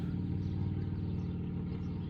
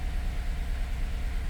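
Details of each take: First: 2014 Chevrolet Silverado after fuel system contaminated with DEF and codes cleared: engine running with firm even beat, settling into quieter steady idle, no stumble; healthy. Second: 2014 Chevrolet Silverado with a crank-no-start, its fuel system suspected contaminated with DEF (crystals found), just after finally starting: a low, lumpy, unsteady idle. The engine is running rough.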